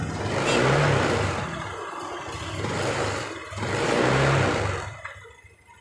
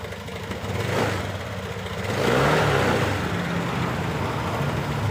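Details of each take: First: New Honda Beat LED deluxe injected scooter with DTC code 7 and stalling; revs rise and fall unevenly, stumbling and popping as throttle first opens before picking up, intermittent sputter; EOT sensor or resistor suspected, not confirmed. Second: New Honda Beat LED deluxe scooter that died with DTC code 7, restarted after clearing DTC; smooth steady idle then clean rev rise settling evenly, now normal; loose EOT sensor socket suspected and to be cleaned/tightened.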